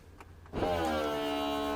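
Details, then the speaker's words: BMW convertible top cycle: a click, then a steady, even pump motor whine as the top rises; normal convertible top pump operation. "you're going to hear another click, and then now your bonnet or your back piece is going to start to go up."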